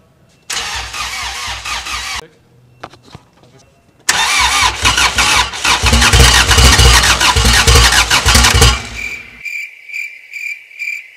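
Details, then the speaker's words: Rebuilt Honda Civic D-series engine with Skunk2 Stage 3 cam and aftermarket throttle body, first start with no coolant yet: cranks, then catches into a choppy, loping idle with uneven beats from the aggressive cam. "Did you hear it? It ran. This little bad boy ran and it was so choppy."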